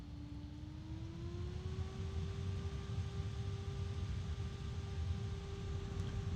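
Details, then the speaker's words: Super Flower MegaCool SF-PPF1 1221 three-phase, 12-pole case fan, switched by remote to high speed. Steady rushing airflow with a clear tone that climbs briefly, then holds an even pitch; healthy at full speed. "ah feels so good all right so I'm going to leave it on high"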